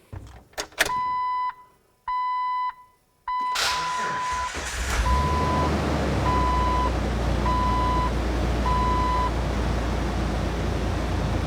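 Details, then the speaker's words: Jeep with a weak Optima battery jump-started by a DeWalt DXAELJ16 1600 peak amp jump starter; door chimes beep, brief crank catches quickly, settles to steady low idle; starts normally at about the same speed as a GB70. "now that's fairly impressive from this unit because it is half the size of the gb70 and it did start this engine at about the same speed"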